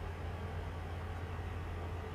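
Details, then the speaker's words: PS4 console clogged with smoke-residue dust, overheating while playing Tekken: steady, heavy low roar from a fan at full speed, pushing lots of hot air out of the back. Fan flat out because of dust buildup. "it is quite warm and pushing out a lot of air out of the back a lot of hot air"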